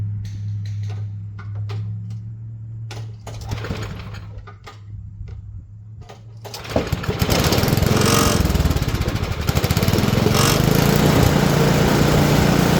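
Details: Simplicity snowblower single-cylinder engine, bought for $50 and being fixed, catches after some handling noise and settles into a steady, even chug that picks up smoothly; started to check drive works; running fine.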